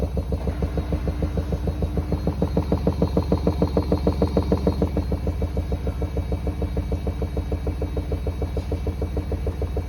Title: Samsung washing machine making very weird noises on final spin